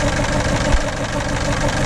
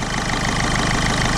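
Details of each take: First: 2007 Ford Fiesta 1.4 TDCi diesel, sat about a year, weak battery on a jump pack: lumpy, uneven idle with an irregular stumble and the whole car shaking. It goes into limp mode; at least one cylinder isn't firing, with an injector fault suspected on cylinder 2. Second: 2007 Ford Fiesta 1.4 TDCi diesel after injector diagnosis, airbox off and MAF sensor unplugged, weak battery, due a service with black oil: steady, even diesel clatter at idle, no misfire, engine steady; normal idle.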